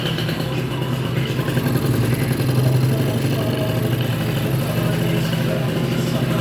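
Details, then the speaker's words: Ludix 50cc scooter with Athena racing kit, 24 PWK carburettor, airbox removed (free intake), oil pump blocked, cold and brand-new engine: steady buzzy two-stroke idle that comes down and settles well; normal cold idle. "bon voilà le ralentir descend bien il se cale bien"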